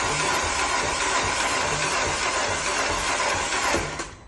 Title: 2009 Audi A5 TFSI 2.0 engine won't start. engine crank not turnover. Help needed